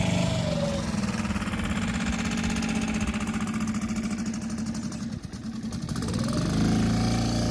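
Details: 6.5 hp Hangkai four-stroke outboard after fitting a modified Yamaha 6 hp carburetor to fix flooding, newly electric-start: smooth even running, pitch sagging briefly then recovering with throttle; healthy.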